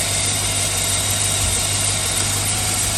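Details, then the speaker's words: 2007 Chevy Suburban 6.0 LS V8, cold start after new flywheel/flexplate: even, steady idle, great oil pressure, super quiet with no ticking; normal cold idle. "great oil pressure of course we going to be cold super quiet"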